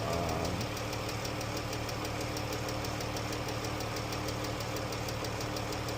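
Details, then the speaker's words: Jeep V6 idling with a crisp steady tick about three times a second, diagnosed as worn rocker arms and lifters, a known issue with these engines and not caused by oil choice despite regular oil changes. "But this is definitely a rocker arm and lifter problem."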